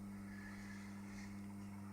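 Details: Home-made convection SMD reflow oven: quiet, steady low buzz with firm hum from the door-holding solenoid on unsmoothed bridge-rectified DC, later cured with a smoothing capacitor; solenoid buzz from unsmoothed DC supply.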